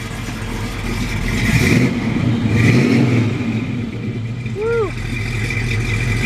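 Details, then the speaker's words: 1957 Chevrolet 210 with 454 big block, headers, MSD ignition, Edelbrock manifold and carburetor, recorded at the rear tailpipes: deep lumpy burble, two clean blips rising and falling smoothly, no misses or rattles; healthy engine. "sounds good nice nice little Torquay big block there"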